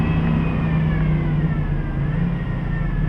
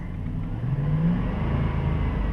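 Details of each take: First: 2007 Dodge Durango engine revved above 2000–3000 rpm: thin medium-to-high-pitched whine over the rumble, rising with rpm, barely obvious at low rpm, no change when steering; serpentine-belt-driven idler pulley bearing whine, replaced. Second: 2007 Dodge Durango after replacing the serpentine-belt idler wheel: engine revved with only a low smooth note, the RPM-rising whine gone, confirming the idler wheel as the source.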